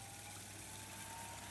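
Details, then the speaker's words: Brenell Series 3 M reel-to-reel deck fast winding with reels fitted: steady even whir, faint constant whistle, no wavering or scraping; the earlier high-pitched hub hum is gone with reels on, normal fast wind. "So it's not making that high pitched hum now with the reels on, which I'm really pleased about."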